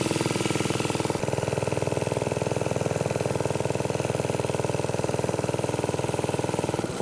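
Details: Briggs & Stratton-powered "Piglet" minibike, rusty rescue project run with choke after clutch prep; the idle may be set a little high and the sprocket has bad runout. A small single putters at an even beat of about four pulses a second; it runs but is sketchy.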